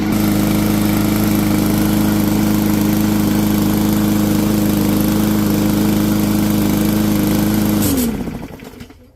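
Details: Yard Machines 20-inch push mower, 140cc OHV Powermore engine, after carburetor main jet cleaning; steady even drone about eight seconds with no misses or surging, then clean shutdown; running normally.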